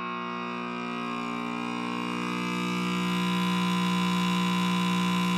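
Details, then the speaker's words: Late-1940s Trav-ler tube radio with Loctal tubes, powered through a dim bulb tester: a low, constant 60 Hz hum with buzzy overtones grows louder as the set warms up. Mains hum, cause not confirmed. "this has a genuine 60 Hertz hum as I like to genuine"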